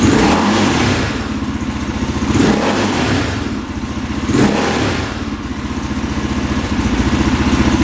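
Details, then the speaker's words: 2003 KTM 625 SXC Supermoto after a carb clean fixed its start-and-die problem, warming up: even single-cylinder idle with three quick throttle blips that rise and fall cleanly with no hesitation or bog, very responsive, normal throttle response. "Oh yeah, sounds pretty good. Wow. Very responsive, doesn't bog down."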